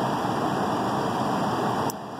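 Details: Lennox upstairs heat pump on emergency heat, blower drawing 1.4 A after a no-blower complaint: steady even air rush with no scraping, rubbing or squeal; blower motor healthy, failed ice cube relay to be replaced.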